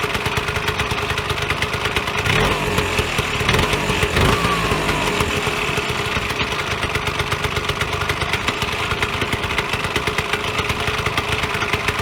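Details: Vyatka Elektron (VP150M) two-stroke scooter revived after long garage storage: quick, even buzzy popping settling into idle after a couple of blips; runs cleanly and steadily.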